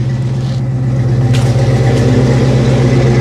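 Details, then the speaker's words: 1989 Ford Mustang LX 5.0 V8 convertible, down 3–4 years, in neutral after a fuel filter change for fuel pressure problems that revealed rusty gas: steady, smooth low V8 idle with a regular beat and no misses; it runs healthy. "sounding pretty healthy it's not dropping any gas"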